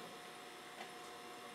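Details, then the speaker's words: Sony SLV-740HF VHS VCR after cleaning and relubing the gummed friction clutch: quiet steady whir with even tone as the reels spin up in fast-forward while it checks tape on each reel; runs smoothly. "gonna check to see how much tape it has left on each sides by calculating the take-up and supply motion"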